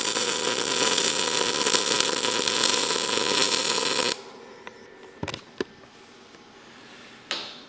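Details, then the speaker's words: ArcCaptain MIG 205 MP short-arc MIG at chart settings: about four seconds of harsh crackling arc then cutting out; bead slightly humped, amperage good but wire feed speed slightly too fast, later lowered to 425. "It's not bad. It's not bad. But you can see it's just a little bit humped up. I felt like the amperage was good, but to be honest, I felt like the wire speed was maybe a little bit fast."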